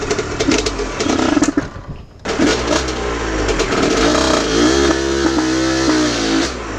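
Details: Aprilia RS50 frame with YZ85 two-stroke engine on stock clutch, springs and jetting, clutch basket ridges shaved: high buzzy note sags and nearly stalls about two seconds in, then picks back up, bogging under load; owner suspects tuning.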